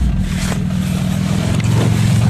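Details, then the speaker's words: Cold start at −6 °C after sitting since June, old car, at idle: steady low engine drone with light rattly clatter on top, which the owner attributes to the air-conditioning compressor. "clattering noise is just the air-conditioning compressor flux making the noise"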